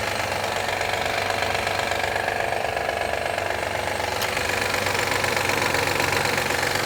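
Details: 2013 Honda Accord EX-L V6, cold engine warming up in cold weather: sharp, even clapping about four times a second at cold idle, happening every time; loud mechanical tap of unknown source, engine clapping noise when cold.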